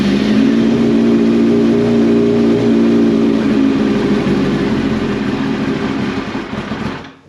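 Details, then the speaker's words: 2004 Yamaha R6 after flipping over in a wheelie, probably on starter fluid: catches and runs roughly at fast idle about seven seconds then fades and dies; owner suspects it's only burning starting spray and old fuel in the line needs clearing. "Okay. Probably just running on the starter fluid. Really fine. Speak English. Got to get that old fuel out of the line and"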